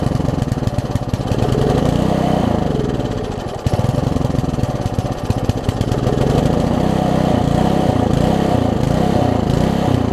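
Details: Old (1996 or later) Troy-Bilt Tuffy tiller, 4 hp Briggs, left outside, before repair, air filter cover off: revs surge and sag every second or so, won't hold speed; rough running, owner thinks carburetor too far gone despite new diaphragm.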